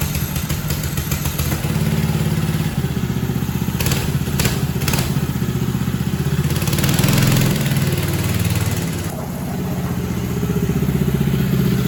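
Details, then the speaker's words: Mega Moto minibike, 212cc engine, after ultrasonic carburetor cleaning removed dirt that two manual cleanings missed; small single thumps at a steady beat and revs cleanly; normal running. "That was it. It's running great. So, there was some piece of dirt up inside that carburetor that that ultrasonic cleaner was able to get out and I just simply couldn't."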